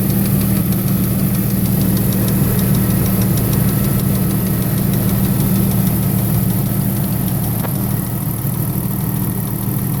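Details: 1998 Jeep Wrangler 4.0 at idle: steady light, quick ticking of roughly three per second over the engine, likely from the top end; owner suspects lifter noise.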